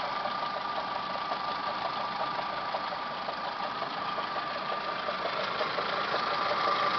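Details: Toyota Camry 5S-FE four-cylinder at idle, full timing belt job done Feb 2011, noise began a few days ago: faint steady high whine and loose irregular ticking from the timing belt/water pump area; cause unclear.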